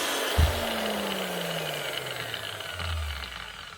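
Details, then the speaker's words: Hitachi G23SR grinder after its brushes were filed and cleaned and a new plug fitted: smooth, even motor whir with no rattle, grinding or spluttering, pitch easing down as it coasts; runs normally. "Not a thing wrong with that. Hitachi G23 SR. Brush is filed and cleaned."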